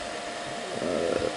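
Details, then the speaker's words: Amiga 2000 power supply fan, before replacement: loud steady airy whir with constant hum, sounds like an aircraft taking off; noisy PSU fan. "get rid of this fan it sounds like an aircraft taking off"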